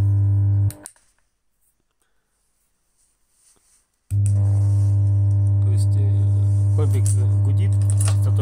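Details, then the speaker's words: Kustom KXB100 bass combo amplifier: a loud, steady low hum near 100 Hz with no signal passing, caused by one half of the power amp chip burned out, sending single-polarity output to the speaker. "В общем в итоге оказалось что вот у этой микросхемы усилитель мощ усилитель низкой частоты У него отгорела одно из плечей и на динамик идёт Ну токо однополюсной"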